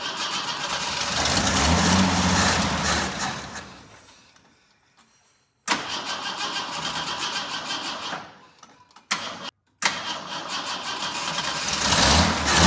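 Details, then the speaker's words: Jeep J10 after carburetor rebuild and gas tank refit, cold weather, weak battery, choke set by hand: cranks, stumbles, catches, drops out, fires again, uneven idle; hard starting, owner suspects air pocket, weak fuel pump. "Had to fight it a little bit. Mess with that choke. Uh make sure probably had an air pocket or something. That fuel pump may be a little bit on the weak side."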